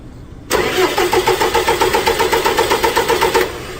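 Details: 4.4 common-rail diesel disabled from starting during starting system voltage-drop test: steady, even cranking about four turns a second, strong and unlabored; solenoid contacts good, positive side near limit. Normal cranking.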